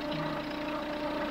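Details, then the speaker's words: Chevrolet Tracker after repair of a strange noise, warming toward 85°C. A smooth, even idle with a steady low hum; the earlier valve tapping is gone and the valvetrain sounds quiet and healthy. "não tem mais a batidinha tá de válvula a batidinha era que ele ia mesmo tá"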